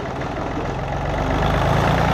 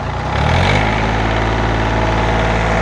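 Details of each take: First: John Deere 855 diesel tractor, barn rescue after fuel flush: low, lumpy idle turns uneven and loping as one of three cylinders quits while its injector line is cracked to bleed air, then fires back; still runs rough after all three bled. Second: John Deere 855 diesel tractor, barn rescue, now running properly. Steady low diesel clatter settles into an even idle after a brief rev, with no misses or knocks; it sounds healthy.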